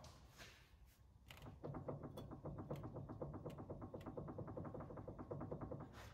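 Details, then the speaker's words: Isuzu NPR steering gearbox, drag link removed and pitman arm rocked by hand: rapid, even clicking from excess worm gear play, fixed by adjusting the gearbox adjuster screw. "it wasn't pretty but if you listen really closely you can hear the clicking noise I'm talking about"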